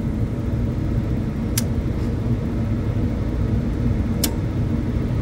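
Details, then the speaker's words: Walk-in freezer condensing unit compressor after restart, freezer had been at 23 degrees and suspected of internal bypassing: steady low even hum with no fluttering, a couple of faint clicks; compressor sounds much better, running normally. "Compressor sounds a lot better."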